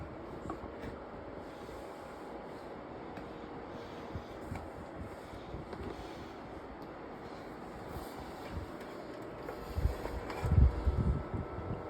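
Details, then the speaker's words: Old thrift-store Cascade 40-inch tower fan, apparently on speed two, running loud with a steady low rushing hum and rough rumble that rises near the end. It speeds up and slows down; louder than a comparable newer fan. "I mean, it's blowing some decent air. But that noise is terrible. This one is obviously louder than the one that's in my classroom."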